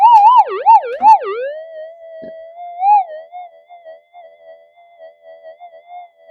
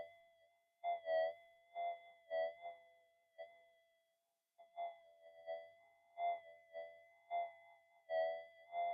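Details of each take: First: Modified pulse induction gold detector on slow tracking over a big hot rock: a warbling wah-wah tone fades within a second or two into a steady, even threshold hum; hot rock signal tuned out by ground balance. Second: Minelab GPX-5000 in fine gold mode over a 0.012 gram target, suburban evening: warbling bursts in a choppy uneven pattern; power-line interference swamps the detector and buries the small target signal.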